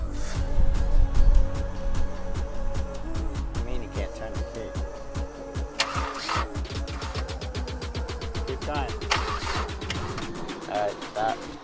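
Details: 1997-2001 Honda CR-V. The starter turns the engine over steadily, about three beats a second, but it never fires; the crank no-start is from a failed distributor cap and rotor.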